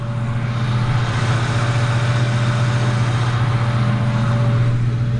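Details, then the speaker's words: Ford Mustang with a P0340 cam sensor code, engine idling while AC ripple is checked on a scope: a steady high alternator whine over a smooth petrol idle, with ripple voltage excessive. "you can actually hear the the alternator whining let me see if I can get close"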